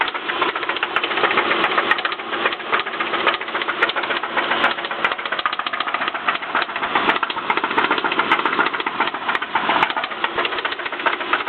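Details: 2007 Subaru Impreza petrol engine revved, with a rough, loose knocking rattle over its note; the knock has been present about a year, and a second knock/rattle appeared after a breakdown and no-start.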